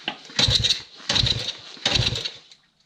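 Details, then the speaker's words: Old estate CT90 being revived, kickstarted: three separate short churning kick strokes that die away without firing. The owner considers ether and may clean the points. Cranks, no start; cause not confirmed. "Try going back the other way. Maybe it needs a little ether."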